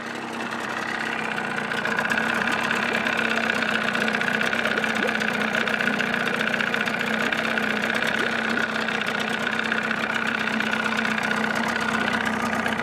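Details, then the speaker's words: 1979 Evinrude 35hp two-stroke outboard idling with cover on, sound-deadening insulation fitted in hood: even, buzzy steady idle, no knocks or misses; reads about 80–83 dB next to motor, about 76 dB two feet back; normal idle. "runs about 80 to 83 up here next to the motor i pull it back about two feet she's about 76."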